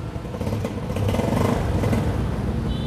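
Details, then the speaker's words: Used Yamaha Sirius moped with a weak battery: uneven, lumpy popping and sputtering while the just-refilled carburetor float bowl settles, then the engine smooths out to a quiet idle. "xăng con nha các bạn nó lụp bụp thì mình sẽ FA ha máy êm ru"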